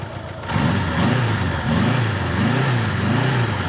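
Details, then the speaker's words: Honda Gold Wing engine revving: revs rise and fall cleanly in a smooth even hum with no knocks or misses, pulling up strongly. It sounds good. "Well, it sounds good though."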